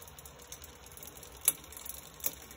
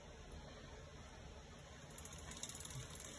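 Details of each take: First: intermittent click you can hear and it's cost by this so if you look at that tooth right there you can see it makes contact with the outer link of the chain Second: SRAM GX Eagle 10-50t cassette after grinding the inside of the offending tooth so it no longer contacts the chain's outer link: a soft, even drivetrain whir with no clicking, only a faint hum.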